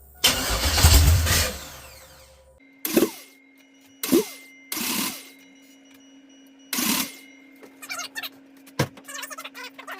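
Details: LS 6.0 V8 swapped into a Chevy S10, first start with a makeshift fuel cell and a computer from a green truck: it catches in several short, sharp revs with quiet gaps, then settles, starting and running normally.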